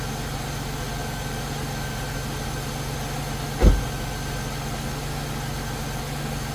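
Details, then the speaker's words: 2001 Chevrolet Impala 3800 V6 after ZZP upper intake manifold install and a new fuel injector O-ring: steady, even idle, smooth low hum, no hiss or stumble, one brief thump; owner thinks the O-ring fixed a vacuum leak or poorly seated injector. "alright, so I think we're good. I think that new O-ring fixed that vacuum leak, or that, you know, fuel injector not seating correctly."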